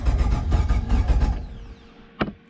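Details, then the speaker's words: 7.0 L (427 cu in) LSX engine, wired up with the ECU on, fuel not hooked up and broken coil packs awaiting replacement: the starter spins it in quick, even pulses for about 1.5 s without catching, then stops; crank, no start, no fuel. "uh oh yeah i can also uh i can turn it over but like it obviously won't start because there's no there's no gas"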